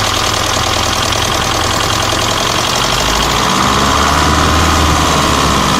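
Diesel idling with a steady knock about 220 a minute over the clatter; it is clearly a fault knock, but the cause can't be pinned. Cause suspected, not confirmed.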